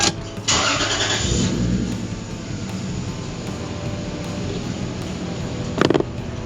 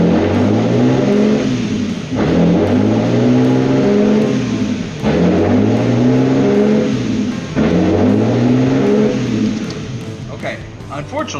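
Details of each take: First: Lexus IS300 after replacing the throttle position sensor: the petrol engine holds an even idle, with the earlier pulsing high-rev and low-dip surging gone. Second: Lexus IS300 with P1300 code and no-start, first start after a wiring repair with heat-shrink connectors: idle surges up and drops back in a steady cycle roughly every two and a half seconds.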